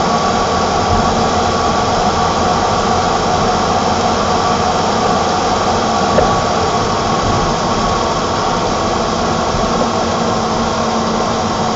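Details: 1987 BMW E28 520i, M20 2.0-litre inline-six (129 PS), nearly 400,000 km, now running excellently; recorded on a phone with good low-frequency microphone; smooth, even idle hum with no knocks, ticks or misfires; normal inline-six idle.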